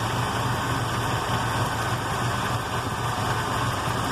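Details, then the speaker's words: Ford 460 V8 with freshly rebuilt Holley 4180 carb, running rich, about 14 inHg vacuum: very low, slightly uneven idle with deep rumble; idle set too low, vacuum leak apparently gone. "but it's running really slow so I'm thinking I probably don't have a vacuum leak anymore"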